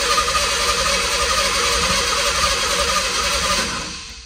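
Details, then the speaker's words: 1989 Ford Bronco II stored for years, new battery, no fuel pump heard at key-on: even cranking about four turns a second, no firing; likely no fuel delivery, oil pressure present. "yeah it's probably not getting any fuel it does have oil pressure though"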